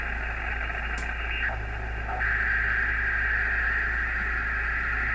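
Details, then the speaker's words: Radio receiver picking up solar charge controller interference: steady hiss and buzz with a constant band of noise that never wavers; controller running under heavy load so MPPT sits at a fixed spot rather than pulsating. "So usually the really small ones, that's birdies on the radio, but like this right here, that's from charge controller."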